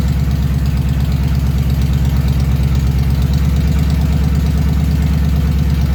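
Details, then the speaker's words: 1938 Ford first run, in neutral with rear wheels off the ground, idling: lumpy, shaking idle with uneven chuffing, about three stumbles a second. Still missing; cylinders two and three not firing. "pretty good it feels like it's coming around it's still got a miss it's getting better though it's a lot better still got a little bit of a shake"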